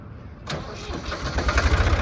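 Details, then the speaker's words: Ford 3610 diesel tractor: starter churns briefly, then catches cleanly into a steady, even low rumble with no knocks; healthy start, runs well. "fire it up sounds super good that's just how they're supposed to sound right there"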